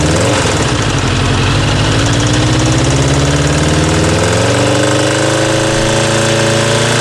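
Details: Kawasaki GPZ900R engine: a hard, heavy hammering clatter that quickens as revs climb steadily. Above 3000 rpm the engine starts to stutter. Cause of the hammering is unknown.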